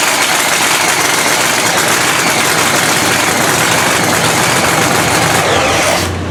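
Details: Cadotto Racing 3,500 HP blown Hemi Ram race truck after all-night rebuild following a 3-second pass: loud dense crackling roar holds steady six seconds then cuts abruptly; fires and idles cleanly.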